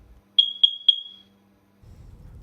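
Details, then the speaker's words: Smoke alarm giving three sharp, high-pitched beeps about a quarter second apart; three or five beeps can mean the detector itself is faulty or at end of life and needs replacing, while one beep every minute means low battery. "And if you hear more than one beep, like three beeps or five beeps, that can sometimes mean that the smoke detector itself is bad and needs to be replaced."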